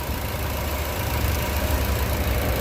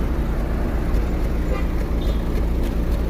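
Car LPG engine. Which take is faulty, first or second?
second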